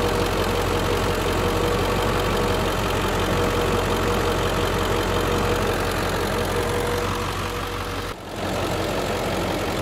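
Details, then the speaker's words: 2003 Ford Excursion Limited, 7.3 Power Stroke diesel, heard with the hood open: steady, even diesel clatter at idle with a constant low drone, no misses or odd knocks; healthy idle. "ear of the 7.3 power stroke diesel i mean that's it's just a great motor"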